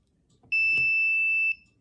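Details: Ideal multimeter from Lowe's: one high, flat one-second beep when the min-max button is pressed; the meter refuses min-max because no voltage reading has been taken yet.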